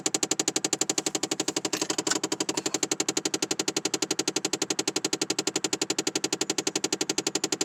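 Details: 2009 Chevrolet Impala with engine off: very rapid, evenly spaced machine-gun clicking that starts every time the door opens; described as a design flaw of this car.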